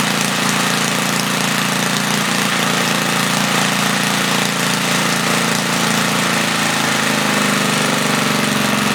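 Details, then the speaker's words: 1976 Tilly rototiller, 3hp Briggs & Stratton with points, revived after years not running; main jet leaned, points cleaned. Loud single-cylinder fast and steady at 3400 rpm, slight flutter, no misses or surging, no load; normal running. "i set the rpm at 3400 it's a little fluttery but uh it's also not under load it runs pretty good i'm happy with that"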